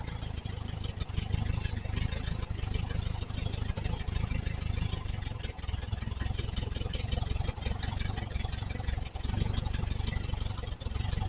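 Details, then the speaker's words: 1968 VW Type 3 with original Bosch fuel injection, fuel pressure 30 psi, just started: uneven stumbling idle with lumpy low beat and hiss-like air noise; rough idle from a massive intake manifold vacuum leak, smooths out once clamped. "All right, whoever who do these things on, there's your problem. Massive vacuum leak is what I'm going on."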